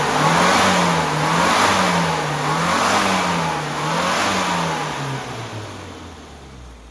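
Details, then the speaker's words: Classic Mini 998 Mayfair after tuning, timing set, advance curve adjusted via tighter primary springs, carburettor fitted with AAE needle, standard airbox: crisp blips rising and falling about once a second, clean even pickup without misses or flat spots; runs beautifully, normal revving. "that runs beautifully."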